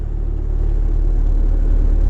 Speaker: bit of a more groaning noise so the engine goes a little bit lower push that back down bringing it back up you can hear that difference